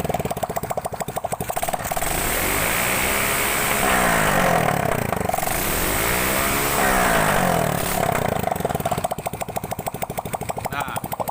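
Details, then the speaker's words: Grand motorcycle after repair of its carburetor spitting back under throttle, caused by a knockoff imitation exhaust: idle rises cleanly into two smooth revs and drops back with no popping or spitting; normal revving, power restored. "Sini kasusnya sudah aman, dan tenaganya juga sudah pulih, suaranya juga sudah normal kembali."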